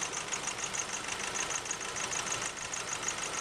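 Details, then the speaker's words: 2008 Nissan Navara D40 2.5 common-rail turbo diesel with misfire: idle with light uneven clatter while scan-tool power balance cuts cylinder 1; very little change, so cylinder 1 suspected not firing (cylinders 2 and 3 change greatly). "And what we've done there is actually dropped out the number 1 cylinder completely."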